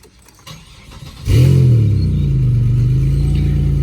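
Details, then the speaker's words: Chevrolet Impala 3800 Series II V6, about 142,407 miles, catalytic converter cut out and replaced with flex pipe: cranks, catches, then a loud, deep, droning idle with little muffling. "as you can hear it's loud i have removed the cadillac converter and when i cut the converter off i just put a piece of flex pipe in there"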